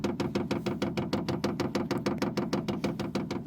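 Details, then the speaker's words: Vevor 8 kW diesel heater at first startup, in its 300-second self-prime cycle started by holding the down arrow for 7 seconds: sharp, very even ticking at about three per second from the dosing pump, which stops once started; normal priming. "so you guys can hear the fuel pump that's not overly loud and that goes away once it starts you know once it's done priming"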